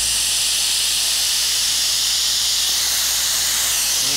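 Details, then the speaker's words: Sandblast pot fed by an almost 30-year-old diesel compressor: with the deadman handle open, a loud, steady hiss of air vents through the deadman valve, bleeding off compressor pressure as it should. "And you can hear it coming out of this dead man valve now. There's a ton of air coming through here."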